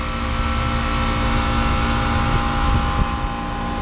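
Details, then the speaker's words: Manitowoc ice machine condensing unit on the roof, with a steady hum and fan drone, no rattles or squeals; running normally. "she's gonna run like a champ"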